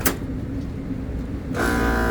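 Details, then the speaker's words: HVAC unit, transformer retapped from 240 to 208 V, on first power-up during a phase-rotation check: steady low hum, then a loud rushing roar with a sharp droning whine. Three-phase motor running backwards; phases to be swapped. "that's running backwards let me check the other one oh is that wait sounds like it's running backwards"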